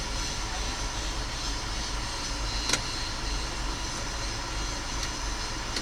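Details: Machine that often failed to crank at the key, after the start relay was replaced and the neutral and safety relays were cleaned; steady, even diesel drone with a deep low rumble and no knocks or misses, running normally.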